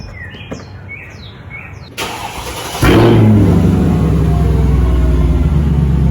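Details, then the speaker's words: 2005 Mercedes CLK500, M113 V8, started after replacing leaking valve cover gaskets and breather cover. It fires after a pause, blips once, then settles into a deep, steady, even rumble; healthy exhaust. "Sounds pretty good."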